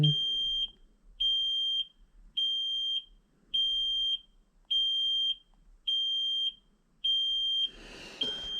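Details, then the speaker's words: 2010 Kenworth T370 diesel truck, key on, engine off: steady unchanging high-pitched beep about every 1.25 seconds; cab warning buzzer sounding. "I'm going shut that damn beeper off"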